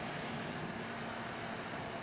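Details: New replacement 120 mm (owner thinks) rear case fan in a 5-year-old Antec computer case, on its three-speed controller's high setting: steady smooth airy whoosh with a faint even hum, no rattle or ticking. The old fan had started grinding.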